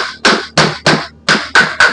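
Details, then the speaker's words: Water pump motor being dismantled: hammer taps on the stator change from a solid tok-tok to a loose, rattly krek-krek, showing the stator core has come free of the housing. "Kalau tadi tek tek tek padat, tapi sekarang krek krek krek itu tandanya lepas tuh."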